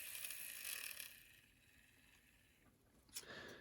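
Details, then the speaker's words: Bowser K11 4-6-2 model locomotive during a tune-up, after regreasing: small motor's high, thin squeal and buzz at speed; dry motor bearing needing oil. "the motor needs a bit of oil too you can probably hear the uh bearing noise from it there"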